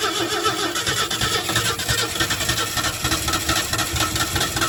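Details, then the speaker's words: 1968 Ford F100 engine, crusty, not run in 21 years, spark at points: catches on lawnmower fuel poured into carburetor and runs rough and uneven, not on its own fuel supply. "Oh, there it goes. Let's put drop a little more fuel down in there. Drop some of that lawnmower fuel in there. Yeah, she wants to run."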